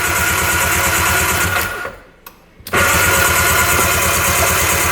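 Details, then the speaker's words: 1995 Arctic Tigershark Monaco 640cc 67 hp jet ski, unrun for 20+ years: after tapping the sticking starter, engine spins over briskly with an even chugging beat, briefly drops out then picks back up, blowing oil out; normal cranking, rings possibly stuck. "That sounds really good. Now it's working pretty good. It's blowing that oil out too."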